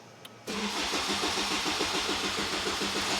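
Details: Even rapid starter chug turning the engine about three times a second with no catch or firing; cranks but won't start. Car whose starter is weak with an undersized cable.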